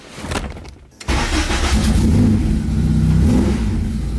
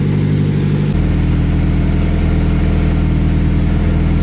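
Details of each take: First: Acura Integra after track-event damage repair: petrol engine starts, revs briefly, then settles to a steady normal idle without hanging high; a small exhaust leak at the flex pipe is noted. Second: Acura Integra petrol engine idling after track-event damage repairs: low, slightly uneven puffing rumble from an exhaust leak at the flex pipe.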